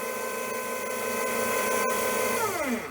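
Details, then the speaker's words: Securalift garage door opener on the bench, motor fed 24 V DC directly from a bench supply, drawing about 1.2 A; smooth steady hum, even pitch, clean wind-down; motor is good, so the fault is on the board. "sounds pretty good it's drawing what was it drawing Fair 1.2 amps"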